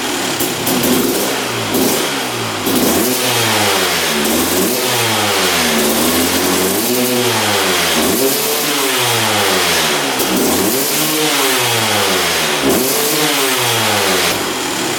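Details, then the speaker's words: 2001 Honda CR250 two-stroke after draining old fuel and refilling with fresh 40:1 mix: crisp repeated blips rising and falling cleanly from idle; sounding better and much more responsive, possibly just clearing out. "That's sounding better. Might just be clearing out."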